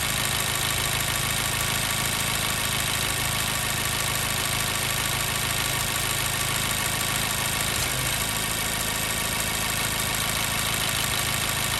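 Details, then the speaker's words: 2014 Mazda 3 2.0L, warm idle after about 8–9 minutes running, P0302 cylinder 2 misfire: uneven stumbling idle with periodic dips in the exhaust rhythm; miss becoming clearly audible once warmed up, before repair. "All right, we're really starting to hear that miss. Vehicle's been running about 8, might be coming up on 9 minutes now."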